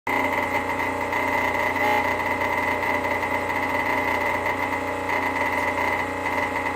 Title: Rocket premium plus making noise.